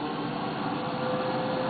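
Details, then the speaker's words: Electric player piano vacuum pump: smooth steady hum with faint constant tone, no knocks or rattles; with little leakage only motor and exhaust are heard, a quiet healthy pump. "so you don't hear it as this sound all you hear is the sound of the motor and the sound of the exhaust coming out the backs unless you have a lot of leakage"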